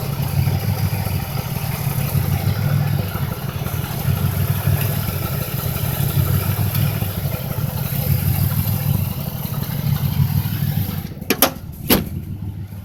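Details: 2005 Chevrolet Impala, 3800 engine: lumpy idle with a deep stumble about every two seconds. It began with no check-engine light, then set P0305. The #5 plug, wire and injector were replaced without success. Misfire at idle, cause unconfirmed.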